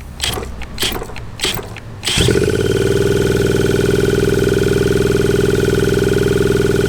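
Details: 1981 Suzuki TS250 two-stroke, long parked, B8S plug: after clattering handling it catches and holds a steady screaming high rev without settling; runaway revving, cause unknown.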